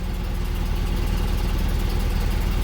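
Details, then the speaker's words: BMW 633 CSi Shark Nose under restoration (new high-pressure inline fuel pump, new fuel filter, refurbished original tank), just started, throttle held slightly then eased off; steady, smooth, unbroken low rumble, no stumbles or knocks. Normal idle. "She's not even on the gas. Are you on the gas a little bit? A little bit. She's on it a little bit."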